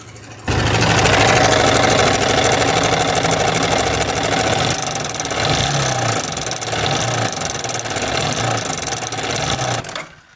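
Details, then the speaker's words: Yamaha R15M single-cylinder engine idling, noise started suddenly while riding, engine oil and filter fine: fast, light metallic tick-tick rattle from the timing chain due to failed timing chain tensioner (adjuster). "चलते-चलते अचानक ये sound आया है। Engine से एक अजीब sound आ रहा है cut cut का।"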